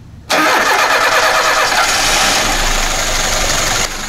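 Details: VAZ 2121 with Solex carburetor, complaints of heavy fuel consumption and hard starting, after replacing the ignition module: engine catches at once and settles into a steady, even idle with no stumbling; carburetor fuel cut-off working properly.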